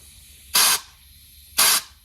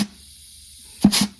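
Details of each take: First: 68RFE transmission clutch air test at 30 psi; three short hissing air blasts into the low/reverse port with no clutch apply; air bypassing, likely piston seals, requiring transmission teardown. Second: Dodge 68RFE transmission clutch air test at 30 PSI through the port: quiet room, then a short hiss of air with a soft thump as the underdrive clutch applies cleanly; normal clutch engagement.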